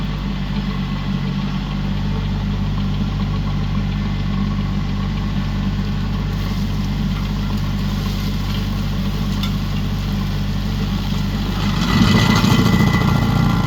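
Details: Used 2018 Woodland Mills WG24 3-point stump grinder on a tractor PTO (run below the rated 540, about 2000 rpm), grinding a roughly 30 by 24 inch beech stump: steady tractor drone rising into rough chewing as the wheel bites; pulls strongly, running healthy.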